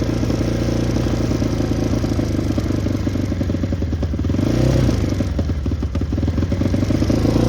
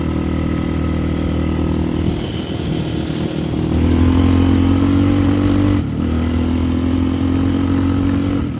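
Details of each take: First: Yamaha Raptor 660 ATV, freshly rebuilt engine, smoking: lumpy single-cylinder thumping with one brief pitch climb that sags straight back; will not rev out, suspected safety switch or re-jetting problem. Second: Yamaha Raptor 660 ATV, freshly rebuilt engine, started by jumping the solenoid since the key switch is bad: idle settles, rises on a light blip, steadies; regular single-cylinder thump, no knocks; normal idle, needs a little tuning.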